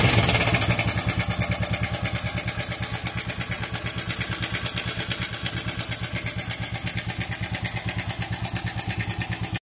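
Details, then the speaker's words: TVS Apache RTR 4V motorcycle, engine oil only 400 ml of 1200 ml because it is burning oil: fast, steady metallic ticking rattle over the idle, about three per second; timing chain rattle. "তো এই বাইকটির সমস্যা হলো বাইকটির engine থেকে প্রচুর ঝিরঝিরি শব্দ আসে।"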